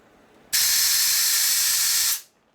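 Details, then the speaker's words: Compressed air through the choke circuit of a cleaned carburetor on a 2001 Gilroy Indian race bike, with a bigger nozzle: strong, steady, full hiss about 1.5 s; choke passage opened up and flowing freely. "That's a choke circuit. Okay, that sound a lot better once I open it up."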